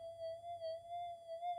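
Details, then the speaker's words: Brand-new Minelab GPX 5000 with a redesigned input stage, gain 34, same settings as the stock unit: a clean, steady mid-pitched threshold with a gentle waver. It is much less noisy than stock, with chirps less pronounced. "if you time stamp the other one and listen to this one it's a lot less"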